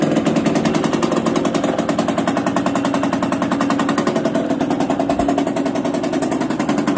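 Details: Yamaha DTR 125 two-stroke with engine from a 2007 bike, first start after fitting unrestricted Gilera SC CDI, new seals, 240 main jet, powervalve fully open, Big One exhaust, battery charged about half an hour; sharp crackling exhaust popping at fast steady pace, firing cleanly with no misses: normal running.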